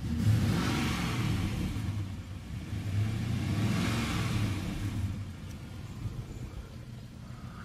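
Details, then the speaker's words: 2004 Jaguar XJ8 Vanden Plas with intermittent idle-only throttle, codes P0122, P0222, P1344, after cleaning accelerator pedal position sensor contacts and clearing codes: engine blips twice and drops cleanly to idle, no stumble; pedal responsive, no codes return. "right there's no uh no engine codes coming up right now and the uh the pedal is responsive so um for now i i think we'll uh we'll call this a a momentary success"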